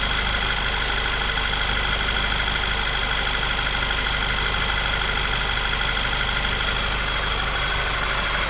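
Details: Golf 6 GTI engine at idle: steady busy idle with a fast, loose ticking clatter over the hum; source of the noise unclear.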